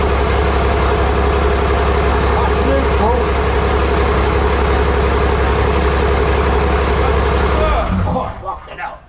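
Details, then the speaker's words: Six-cylinder Iveco turbo diesel test-fired in 1942 M3 Stuart tank on axle stands in workshop, no exhaust fitted; deep even rumble steady about eight seconds, no knocks or misses, then clean shutdown; successful run. "out man well that successful D successful running right"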